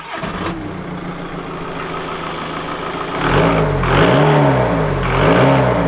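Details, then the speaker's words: VW Golf GT TDI after turbo replacement, no boost, no engine lights: with intake refitted, revving still gives a wavering mid-pitch howl swelling and dipping with throttle over the engine note; abnormal noise of unclear cause. "Right, that's that intake back in place. Let me see if it's still making that horrible noise."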